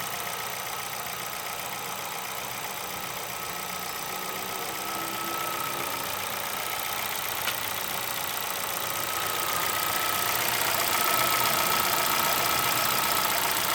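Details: 2011 Chevrolet Celta VHCE Spirit engine at steady idle with a quick, even tick-knock roughly four times a second; mechanical knocking, cause unknown, owner asking for help.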